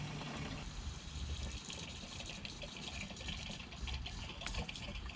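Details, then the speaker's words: Electric fuel pump of an LS-swapped 1990 Jaguar XJ-S (2003 GMC Yukon harness) powered directly by jumper cable to drain the tank before replacement: steady low whir with fuel gushing into a container; pump running normally. "now all i have to do is touch this and see if i get uh noise so let's listen oh yeah it's working maybe you can hear it if i put it here"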